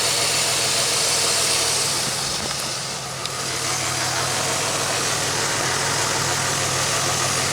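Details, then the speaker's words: 2003 Pontiac Grand Am at idle after fixing an injector-related misfire and reassembling: a steady idle with a smooth low hum under hiss and no misses, sounding much better; normal idle. "Huh, sounds better already. Wow. I want to know how that even happened. Oh, much better."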